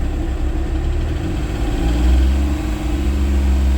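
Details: Flood-damaged 2011 Porsche 911 salvage car, first start: low, even idle rumble, slight lifter noise noted, otherwise quiet with oil pressure present; normal idle.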